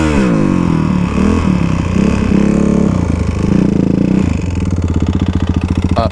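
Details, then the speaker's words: Kawasaki KLX351 single-cylinder dirt bike revving, then settling into a lumpy, pulsing run with a knocking edge; knocking appeared while riding in snow; valve clearance, chain tensioner and timing checked with top end seeming okay; cause still undiagnosed. "so in this video with the klx went through the simple things as to what could be causing the knocking issue that we got when i was out ripping in the snow"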